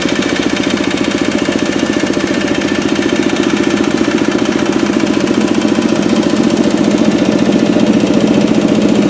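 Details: Kubota RD65DIS single-cylinder diesel after cylinder head service, exhaust fitted, driving a soil/clay grinder for brickmaking: steady thump about two and a half a second with slight rough gear clatter; smoke gone, combustion fine, noise from worn engine gears.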